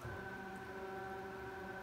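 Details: Bridgeport R2E3 Boss 8 CNC retrofit, servo motor refitted and driving the table slowly in the positive X direction on first test: smooth, steady whine at a fixed pitch with a faint low hum, no knocks or grinding; the drive sounds healthy.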